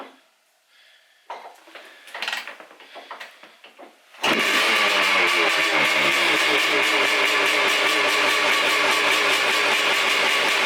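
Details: 1989 Honda CR500R two-stroke, bought non-running, kick-started: catches after a few kicks and runs loud and raspy with harsh unmuffled crackle; muffler completely blown out, needs repacking.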